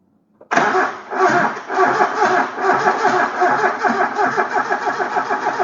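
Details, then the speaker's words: KE20 Toyota Corolla left sitting since the early 90s, cranking on a different battery: the starter turns the engine sluggishly with a laboured, uneven chug and never catches. It is drawing a lot of amps and a poor connection is suspected. "Okay. Drawing a lot of amps. Oh, hang on. That connection's not very good."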